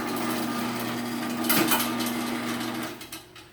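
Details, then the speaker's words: Sears chain-drive garage door opener running after a new sprocket was installed: a steady motor hum with a rattly buzzing overtone, as a damaged section of chain rubs and the trolley vibrates, while the opener itself is much quieter. "A lot of the noise you're hearing is trolley vibrating and the chain rubbing against it. But the opener itself is actually much quieter."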